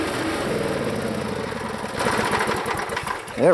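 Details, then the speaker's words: Small single-cylinder engine on a used log splitter, always a rough runner: it runs roughly, then the beat sags and slows as the hydraulic piston is pulled back under load; it bogs, cause unclear, and Seafoam is planned. "I think you hear the engine bog when I pull that piston back to that point so that I don't get why that does that"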